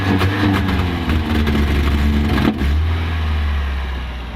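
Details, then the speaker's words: Toyota van engine after swapping to cleaned, tested 5M-GE injectors: the misfire is fixed, but it revs to about 3000 rpm then stumbles and breaks down; spark was suspected first. "The misfire was fixed, but I still had issues with it at high revs. It wouldn't rev. It would sort of reach about, I don't know, the 3000 RPM mark and then just break down."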